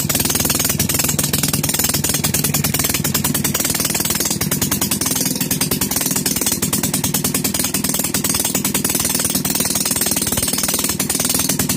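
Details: Maytag Model 72 single-cylinder engine, first start after complete rebuild with new rings: rapid, sharp, evenly spaced popping beat held steady; normal running, expected to improve as rings wear in.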